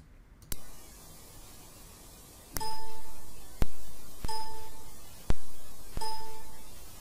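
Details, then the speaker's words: Asus Maximus VI Hero onboard Realtek audio with Jack disabled, recording amplified 45 dB: a sharp pop at the start and end of each chime over a quiet hiss. Running Jack in the background removes the pops. "this way file is Jack disabled so this has the pop sound with every sound that I play"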